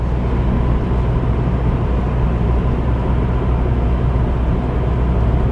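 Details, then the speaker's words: 2002 Volvo V40 T4 at 60 km/h, fourth gear, 2,000 rpm: steady even low rumble with no knocks or whine, refined and quiet; normal cruise. "60 km/h, czwarty bieg, 2000 obr./min. Wyrafinowane, komfortowe, ciche."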